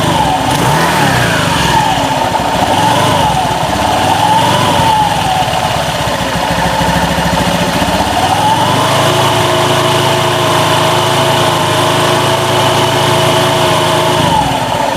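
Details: 2016 Honda Beat scooter idling, rough CVT noise persisting despite replaced roller housing and fan: uneven, gritty rubbing and wavering whine from the belt drive; CVT parts rubbing due to a missing pulley clip.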